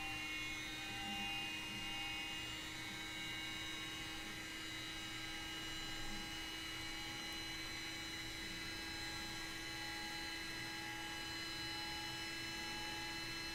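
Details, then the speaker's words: Aircraft attitude indicator just powered up: faint, steady high-pitched whine over a low background hum with no scraping or wobble, the gyro spinning up normally as the off flag clears and the instrument slowly aligns to level. "You can probably hear the gyro spinning up, and you'll see that it will slowly align itself to level."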